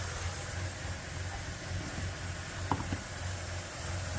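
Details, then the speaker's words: 2000 Ford F-150 4.2L with poor idle and occasional stalling: steady airy hiss over slightly lopey low idle, vacuum leak at the rear of intake, likely the PCV vacuum elbow, as propane smoothed the idle. "But if you listen kind of closely and move your head around, you can also hear some sort of a vacuum noise back here."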